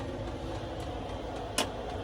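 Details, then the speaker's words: 5kW Chinese diesel heater fitted in a Renault Master van, reaching full heat after its cold-air purge: a steady, even roar from the fan and burner with one sharp click, getting louder. No surging or popping; burning cleanly. "I'm just going to try and show you how hot it gets you can hear it start of getting a bit louder now"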